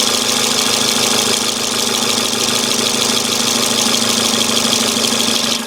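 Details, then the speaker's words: 2006 Toyota Corolla 16-valve at idle with a fast light ticking that changes after a quick throttle blip; belt recently replaced, owner suspects intake manifold or exhaust; source unknown. "hey everybody it's Rob NASCAR 88 again here doing a video with my 06 Corolla 16 valve I'm getting this weird noise and I don't know where it's coming from"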